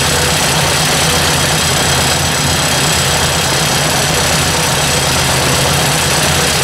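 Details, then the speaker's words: Ford 800 tractor idling with the valve cover refitted, oil leaking: loud steady idle with a light tick toward the back of the valve cover. "so definitely something back in here is a lot louder it's testing and it's pretty quiet up here until we get to the back here cover's making noise but definitely something ticking"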